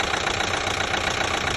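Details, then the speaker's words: 2012 Chevy Equinox 2.4L with a new timing chain, warm idle: fast light even ticking; sounds like the high-pressure fuel pump, but the pump is brand new; cause not pinned down. "almost sounds like the high pressure fuel pump is making the noise but it's not it's actually a brand new pump"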